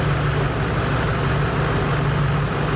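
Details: 2001-04 Chevrolet Duramax LB7 diesel idling after new injector installation, fuel primed and coolant bled: steady, even clatter with a firm low drone, no misses or knocks; engine running smoothly.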